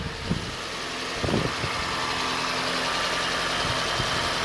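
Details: Reassembled parted-out Toyota Starlet after a startup squeal that cleared itself (owner noted rust on the belt and power steering pump pulley): small petrol engine at steady idle, a few soft knocks early, no squeal left; normal idle.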